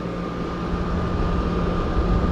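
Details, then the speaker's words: Honda 2000 W generator starting and running the Airstream RV air conditioner on propane, fridge and water heater off; steady even drone with faint constant whine, holding speed. It later tripped after about 5-10 minutes; normal running under load. "okay we heard it kick in and it sounds like it's running it"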